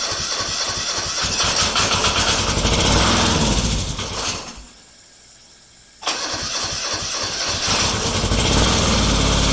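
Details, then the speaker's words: Restored Kubota G4200 garden tractor on its first start attempt after final assembly, with the fuel system redone and bled. Repeated cranking bursts with pauses, but it never catches or idles: crank, no start, cause unconfirmed. "Yeah, this is when I start trying to figure out what's going on, and I've remembered later that I'd redone the whole fuel system and bled it."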